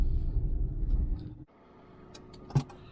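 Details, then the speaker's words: Peugeot small car, inspected as a used buy alongside a Chevy Spark of similar age and mileage: engine fires and settles quickly to a quiet, even idle with no misses, knocks or hunting; starts alright, idle okay. "Right, Peugeot starts alright, idle's okay."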